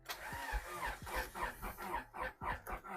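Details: Honda Civic EG hatch after long storage, fresh gas added, fuel pump priming, clutch held down; starter cranks evenly about three to four turns a second but engine never catches; cause not identified; crank no start.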